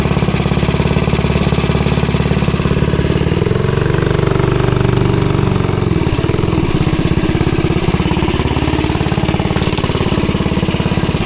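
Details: Ghost engine on the "Green Ghost" mini bike, test ride after work on kickback and hard pull-start: fast, even firing held steady at full throttle, no misses or knocks; running healthy.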